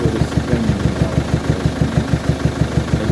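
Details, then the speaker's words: Peugeot 807 2.0 HDi (RHK, Siemens system) at idle: even, dull knock about three times a second, sound reflecting off the air filter side. Strong knock with jumping MAF readings; injectors suspected, not confirmed, and an additive was suggested. "Да тук-тук стучи конечно так она вот как раз воздушный фильтр отбивает поэтому и звук в этой стороне"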